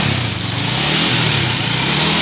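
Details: Honda CBR 150R after installing a Vinix remote alarm, engine started and throttle blipped: crisp buzzy exhaust climbing smoothly as throttle opens, no knocks or rattles; normal running.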